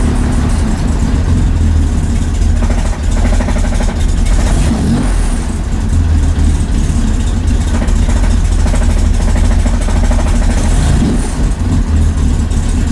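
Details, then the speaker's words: 1965 Chevy Corvair on first start after installing an electric fuel pump: uneven, lumpy revving that surges and sags and won't hold idle; owner suspects valve noise. "I don't like that sound we're not holding idle come on baby old Idol I don't like that sound though what is that sound that's valve noise"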